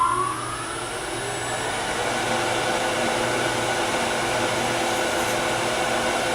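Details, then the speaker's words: Lathe turning a small Tagua nut hollow form at high speed with a shallow fluted gouge: steady spin with rough, buzzing ring; overhanging piece vibrating, causing tool chatter; remedy light, sharp cuts. "you can hear a lot of chatter that's because this piece is hanging over it's vibrating so light cuts high speed sharp"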